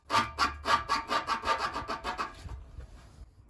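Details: 2016–2017 Renault Megane 4 1.6 dCi, rear end rocked by hand while chasing a rear squeak; about two scraping rattles a second as the exhaust is moved, dying away when stopped; exhaust knocking against something, not the squeak fault.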